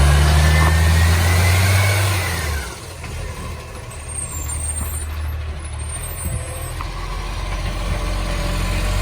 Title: City of Joondalup green waste with the roaring SL070 (massive exhaust leak)